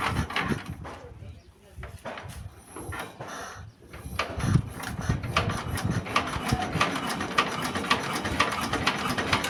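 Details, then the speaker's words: S-1115 single-cylinder rice-mill diesel after rebuild with new piston, test run before warm-up; steady thump with light even clatter, nothing knocking, healthy idle. "मालिक ने कहा कि diesel engine की आवाज पहले की तुलना में बहुत हल्की है"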